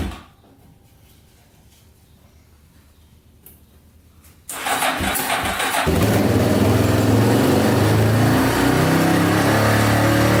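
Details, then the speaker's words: Yamaha Wolverine 350 4x4 ATV, first start after air box cleaning, before carb clean; cranks then single fires into a fast putter, only runs with choke on, smoking and smelly; fouled carburetor jet, owner also suspects rings and valve seals. "oh it smells horrible a little smoky yeah smoking pretty good only really runs with the choke on too"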